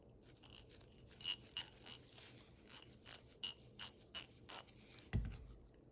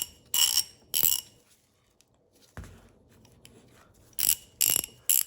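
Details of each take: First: Ace Hardware vintage 1/2 in drive ratchet right after cleaning and greasing, lever worked back and forth: crisp, light, even clicks in uneven bursts with no dragging, a big difference from before; normal, well-lubricated ratchet. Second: Vintage Ace Hardware 1/2 in drive ratchet: five short bursts of sharp, tinny clicking from the head. Dry ratchet pawl, metal-on-metal teeth with no lubricant, will prematurely wear out.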